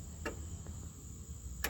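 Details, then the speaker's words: 2006 Chevy Malibu 3.5L with codes P0449/P0455: the EVAP vent solenoid makes crisp on/off clicks about 1.5 seconds apart after repairing two broken wires; it works normally. "You can hear the solenoid now clicking on and off. So, it's on now. So, we're going to turn it off and then on,"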